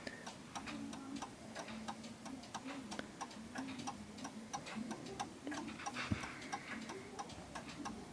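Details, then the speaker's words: 1930s Enfield 8-day striking mantel clock after adjusting the beat for its surface and checking the bar clears the metal: steady, even tick-tock about ninety beats a minute; movement beating properly. "And that's that. So perfectly fine, all working there."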